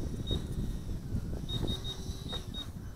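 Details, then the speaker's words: Micro FPV racer drone with 1104 8000KV brushless motors, after flight: repeated short high-pitched beeps over wind noise are the low-battery alarm, sounding after the pack went below 6 volts. "Hear that beeping? I should have paid attention to that. I went below 6 volts."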